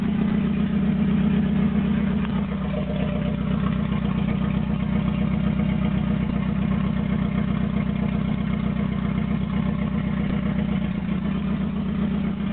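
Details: Toyota AE86 with N/A 4AGZE, re-pinned bluetop harness, ECU, injectors and fuel rail, no exhaust past the downpipe: loud, unmuffled, lumpy rough idle that wavers and struggles to hold steady. Cause not pinned down.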